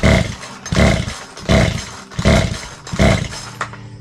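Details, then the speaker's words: Craftsman 42cc 2-stroke chainsaw (Poulan Wild Thing type), pulled five times on full choke; short bursts catching briefly and dying, no sustained run; compression feels weak, cylinder to be checked; fails to start from low compression. "I'm a little concerned about this. We'll have to check into it, but the compression seems to be a little off. It seems a little weak, so we'll have to check that before we get too far into this."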